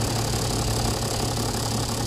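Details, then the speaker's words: Toyota Land Cruiser diesel idling with a slightly lumpy, uneven low thrum instead of a steady beat; vibration or misfire complaint, cause suspected, not confirmed. "kalau kita tengok nggak punya izin nih bagagar ya Antok sepatutnya dia steady bukan begini oke doakan bergegar pot ah"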